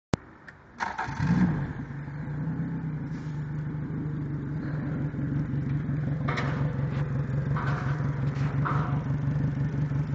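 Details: Yamaha 90 outboard with 1400 hours: catches after a brief crank and settles into a low, slightly uneven idle with light clatter; the injectors are dirty.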